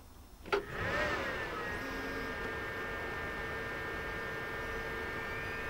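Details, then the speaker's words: Desktop PC (2.2 GHz AMD or 2.8 GHz Pentium 4 comparison) powered on with side panel open, microphone right next to the case; brief click, then a soft steady whir with faint even tones. Quiet, healthy fans running normally. "anyway I'll turn this on and you can actually hear how quiet this computer is"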